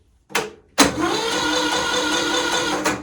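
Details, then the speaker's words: Kohler Courage 20 HP SV600 single-cylinder engine cranked on a jumper pack: the starter spins fast, light and even with no heavy compression beat; no compression, later traced to a blown head gasket and a pushrod that jumped off. "see that there's just no compression there it seems to me"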